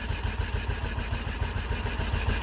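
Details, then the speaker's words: Isetta microcar single-cylinder: thumps at a quiet, steady cold idle with no clicks, clacks or bangs after a small backfire; sounds healthy, though float level dropping and charging not yet checked. "a quiet cold-blooded good idol he's just running away really nice sounding engine that's how this ultrasound no clicks no clacks no bangs that sounds really good"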